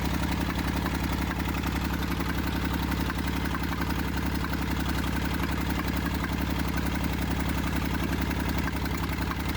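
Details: Massey Ferguson 35 diesel tractor, seized after 20+ years in the woods and freed, starter failed and removed, tow-started behind a truck in third gear high with fuel tank pressurized. It fired after about 300 yards. Steady low diesel clatter at constant idle, no misses or knocks: normal running.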